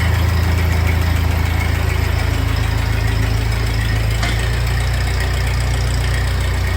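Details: 1948 Ford 8N tractor idling in neutral on first start after a full engine rebuild, with a new carburetor not yet adjusted and a leak to fix; deep, even idle with a steady low thump and no knocks or rattles, a normal idle.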